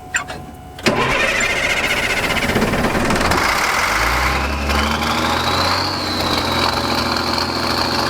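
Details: Old military truck diesel, first start in over 10 years after sitting, started with ether: short crank then catches into steady rough-edged idle with no heavy knocking; normal start and idle.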